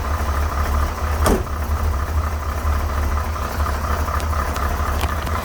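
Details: 1968 Corvette with a 1969 350 small-block and 1972 heads at cold start: a steady, lumpy V8 idle with light rattles, plus a little blue smoke and a smell of fuel, not burning oil. The rattle source is unknown.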